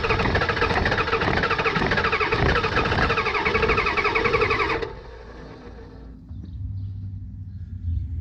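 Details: 1989 Ford F250 7.3 IDI diesel after fuel system work, glow plugs cycled and starting fluid used: turns over steadily about five seconds without firing, then quiet; fuel supply line found not tightened.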